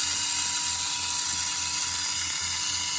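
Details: Losi Micro B with an Injora 45-turn brushed motor at 100% throttle, wheel spinning free under a tachometer reading about 5,400–5,500 rpm: a steady high-pitched whine holding constant. Normal brushed motor running.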